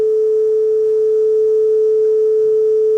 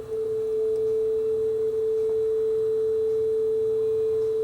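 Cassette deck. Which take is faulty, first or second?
first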